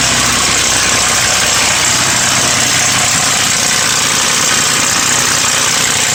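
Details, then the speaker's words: Ford Mustang 4.0 V6, knocking began around 120k miles: fast, uneven clattering rattle over a steady idle, loudest at the front of the engine; owner suspects a bad timing chain cassette guide, engine to be replaced. "Basically, I'm pretty sure that we have a bad timing chain guide, or cassette, like they're sometimes called."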